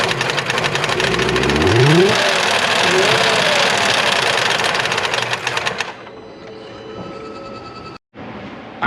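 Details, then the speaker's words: 2022 Ford F-150 5.0L V8 with Whipple supercharger, original engine: loud hard knocking three to four times a second over rough idle, stopping at shutdown; no oil pressure though oil present, check engine light on; suspected hole in block or failed oil pump. "don't think there's any reason to check codes the check engine light is on but obviously it's an engine internal problem"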